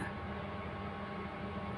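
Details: 13-year-old AC outdoor unit with a newly replaced rotary compressor, fitted without releasing the gas, first run: steady even hum with a low mains drone and fan rush, no knocking; compressor running normally, though pressure reads low and gas needs topping up.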